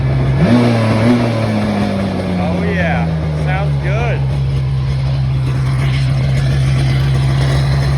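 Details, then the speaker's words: Sea-Doo 787 two-stroke jet ski with stock Mikuni carbs, after carburetor and jet cleaning and overnight cylinder soak, with water on: catches, blips up and settles into a steady even hum with no stumbling or popping; running healthy again. "got our water on let's see if she cranks i think we're back in business"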